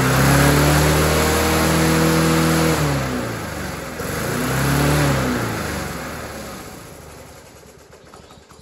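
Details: Dumped Rover 4-stroke mower after the carburetor was reattached, the throttle cable sorted and a new air filter fitted, then primed. It catches straight away, holds an even note, picks up cleanly and spins down smoothly: normal running.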